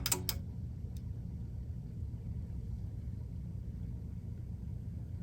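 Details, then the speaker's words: 1984 Bose AW-1 cassette deck, new capstan motor fitted with front bearing lubed after old motor found wired backwards: a couple of clicks at switch-on, then soft steady low hum with no wobble or grinding; runs normally. "Oh, I think we've got a success now. That makes me happy."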